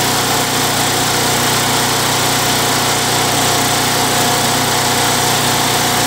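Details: Craftsman Eager 1 mower, Tecumseh 92cc engine, bought non-running, given a new recoil and fresh oil; surging treated with Mechanic in a Bottle. Steady, even buzz with no hunting or surging, running clean and smooth; normal running, successful repair.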